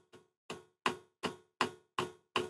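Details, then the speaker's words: Webasto water coolant heater on a DIY replacement controller ECU, startup with glow plug on, water pump on, fan at lowest setting about 15: sharp even ticks about 160 a minute; the fuel dosing pump is pulsing normally. "the fan's on its lowest setting of like 15 and then pump and fuel in can't you hear it pump feeling pumps glows"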